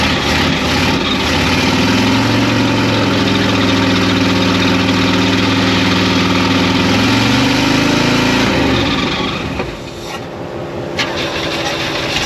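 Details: 1972 Oldsmobile 98 V8 revived after storage and jump-started: an uneven, stumbling idle that dips and wavers before shutoff. The misfire traces to crossed plug wires.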